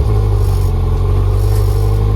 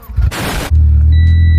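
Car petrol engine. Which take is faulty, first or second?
second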